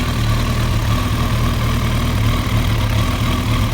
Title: Rough Idle